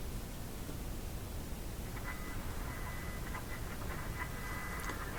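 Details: Philco 91A (221) tube radio under repair, tested on an outdoor antenna after reconnecting the AVC line with tube shield fitted: steady hiss with only faint whistles while sweeping the dial, no station clear, reception weak.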